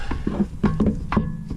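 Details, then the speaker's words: 1989 Honda Civic hatchback, left front axle clicking on hard turns, boot intact: sharp hollow clunks, about five in under two seconds, as the axle is rocked by hand; play means a worn outer CV joint, axle to be replaced. "you can hear that noise there shouldn't be any play so based on that we can tell that the outer joint is worn"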